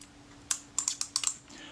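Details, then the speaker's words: Kodak Retina IIIC camera brought in for service, its shutter failing to remain cocked: a quick run of dry clicks while winding, then the shutter snaps open again instead of holding. "go to crank the shutter and it doesn't actually cock. You can hear it just opening again as the thing winds back."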